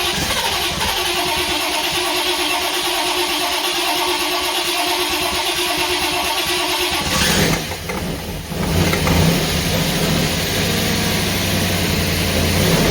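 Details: Freshly rebuilt Holden 308 V8 first start, cylinders re-sleeved to standard bore, Crow Cams 282-duration cam, remanufactured Quadrajet: catches straight away into a deep, slightly lumpy cam idle, healthy.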